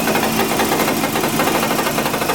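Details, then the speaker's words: 1995 Eagle Summit wagon, rebuilt 4G64 at idle: rapid metallic chatter over a rough idle, steady with engine speed. The loose hood prop rod is buzzing from idle vibration; owner thinks the engine lacks balance shafts. "I'm holding the hood prop because I don't think this engine has balance shafts, and at idle there's more vibration. There's more vibration than usual. See? You can hear it now. There's the annoying hood prop."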